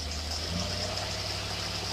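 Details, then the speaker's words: Rochester two-barrel carburetor with electric choke on a running carbureted test engine, under load: steady, even, strong note with no hesitation, stumble or misfire; pulling cleanly. "Man, that sounds sweet. Accelerate sweet. No hesitation. No stumble."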